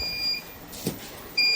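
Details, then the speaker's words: Smarten Saver 2000 inverter, works fine on battery but when connected to mains it beeps, output shuts off and shows MCB trip: steady high electronic beeps with a single soft click between them. "Customer की यही problem है कि हम जब इसको main supply में लगाते हैं तो यह आवाज देता है। यानी बीप करता है।"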